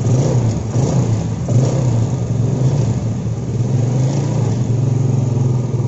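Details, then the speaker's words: Yamaha Jupiter Z that won't idle, starts hard and fouls plugs black; revs surge and sag unevenly as petrol from a faulty vacuum fuel tap flows through the vacuum hose into the manifold; rich running from leaking vacuum fuel tap. "Oke Berarti benar Ya Tuhan saya jadi bensin itu ikut masuk ke sini ya the Westin ikut masuk ke selang wakum Iya Bro masuk ke sini langsung masuk ke manifold ngalirnya cepet banget lo"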